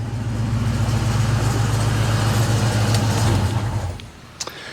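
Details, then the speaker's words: 1998 Cobra (naturally aspirated four-valve, about 320 hp at the wheels), stored about four years, idling before the AC system replacement: heavy, rough low rumble pulsing about 220 times a minute from a worn AC compressor clutch. "so yeah sounds pretty rough but we'll get that taken care"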